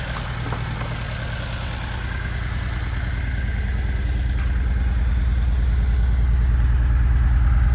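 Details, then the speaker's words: Budget turbo Datsun 280Z after wiring work, first run: steady, even low idle at about two and a half beats per second, no misses or knocks; fuel smell present and fuel pressure confirmed; healthy idle. "Smells like fuel. supposed to look like a little bit of that cleaner. It's idling good."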